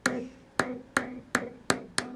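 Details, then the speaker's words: Amperex 6922 (6DJ8/7308-type) vacuum tube, triode one on a noise test fixture at maximum gain, warmed up. Sharp pings about three per second, each ringing out and slowly decaying, even untouched: badly microphonic, scope deflection nearly off scale. "triode one is very microphonic as you can see the the uh dys flection is almost completely off the scale you can hear it [Music] it's actually ringing even without me touching"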